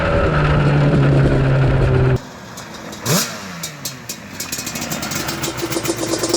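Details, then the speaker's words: Yamaha Banshee two-stroke quad (472 vs 421 comparison), possibly not fully warmed up: loud flyby, then exhaust drops away uneven and stumbling, running choppy; owner suspects lean jetting, perhaps rich, main jets not yet dialled in. "I think it's lean think so I don't know if you can hear it you hear it kind of like doing that almost I don't know what this the right word is"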